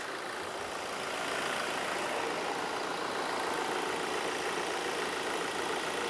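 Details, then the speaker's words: 2017 Toyota Hilux diesel after its engine seized under 180,000 km and was replaced rather than rebuilt: steady, even diesel clatter at idle with no knocks, misses or hunting; idles normally. "funcionando redondinho lembrando né você já compraram vindo esse motor não foi montado retificado ele foi trocado"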